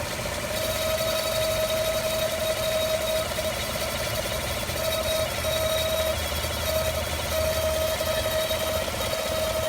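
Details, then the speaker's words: 2015 GM 5.3L V8 truck, 8k miles, idling, mic at passenger side near headers, belt ruled out; even idle with light tick and thin on-off chirp, owner calls it normal lifter sound, tick origin unknown. "It's not coming from the belt. This is what normal lifters sound like. Right by the headers."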